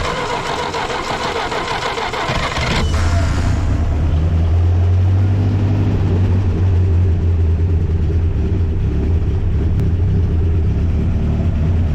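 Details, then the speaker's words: 1964 Jeep CJ5 barn find, revived seized engine, restarted after half-hour cooldown with 3/4 gallon water: cranks, catches, slightly uneven idle; heavy radiator bubbling indicates blown head gasket, owner hopes head or block not cracked. "oh yeah yeah she needs a head gasket bad yeah so we're getting a lot of bubbles up through the radiator hopefully it just needs a head gasket and there's nothing cracked like the head or the block"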